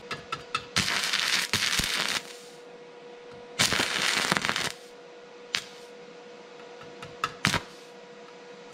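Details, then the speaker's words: Vevor MIG-250 welder set to about 60–90 A (the range printed on the box): short spitting crackle bursts that keep dying out, so the arc won't sustain because amperage is too low. "60 ei toimi sellega ka... proovime 95 60 ei tööta üldse.. mõlemaga... aga 90 oli vevoril veits parem"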